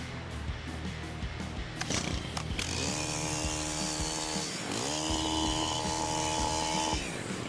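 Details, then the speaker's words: STIHL HT-103 pole saw brought in because the chain wouldn't move, after disassembly, inspection and worn-part replacement: the engine revs cleanly to a high steady scream, dips briefly, then holds full speed, cutting off properly; repaired and running normally. "Now the motor is hitting the proper speed. You can hear it cutting off. She's good to go."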